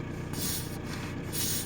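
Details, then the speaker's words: Volkswagen Sharan 1.9 TDI at diesel idle: two short sharp hisses, each about half a second, as the brake pedal is released; pulling back the rubber boot on the booster makes the hiss audible, so the brake booster is leaking vacuum and damaged. "przy odpuszczeniu pedału hamulca przez chwilę syczy i tam jest taka osłona gumowa. Kiedy drugą ręką naciskam, a tą osłonę naciągnę, to to słychać jak syczy, czyli będziemy mieli uszkodzone serwo hamulcowe."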